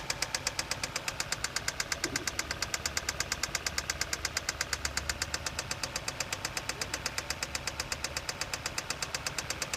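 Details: 2007 Kia Carens 2.0 CVVT G4KA after replacing a stretched timing chain, timed to the marks: fast, even metallic ticking over the idle near cylinder one, owner suspects valves; engine knock, source unconfirmed.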